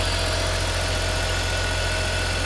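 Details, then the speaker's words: BMW E46 325xi touring wagon inline six after first round of repairs and clearing codes: steady, even hum with no misses, knocks or ticks, idling smoothly like new; normal idle. "so let's see how it runs oh my gosh it runs like brand new wow listen to how smooth that"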